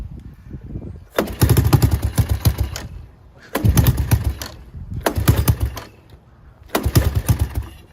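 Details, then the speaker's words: Honda ATC 200ES single-cylinder after an engine oil and final drive oil change and a new spark plug: clean thumps through repeated throttle blips, picking up cleanly each time; running normally. "So it's running. Now I think I will just clean it up a little bit with this engine cleaner and we should be good."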